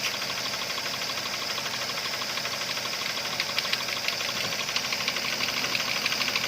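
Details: Toyota Avanza 3SZ engine at steady idle: light, fairly quick ticking knock riding on top, about three per second; engine knocking, source undetermined.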